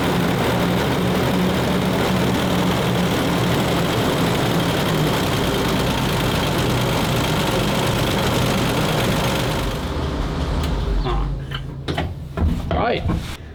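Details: Petrol military vehicle, carburetor with no choke, started on starting fluid sprayed into the intake; deep, steady straight-six rumble holds even for ten seconds, then dies to scattered clunks: cold engine running normally once started.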